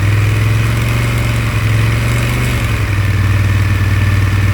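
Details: Honda Africa Twin 1100 idling and blipping with a fast, loose rattle layered over the firing beat that follows the revs; engine rattle, cause unknown.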